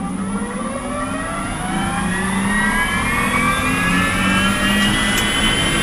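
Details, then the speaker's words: BMW E46 converted to electric drive with Paul Holmes inverter during tuning, driving off: loud rough whine with stacked tones climbing with speed, like a motorbike engine, strong regen; cause not determined. "oh yeah oh yeah wow sounds like I got a motorbike engine in here"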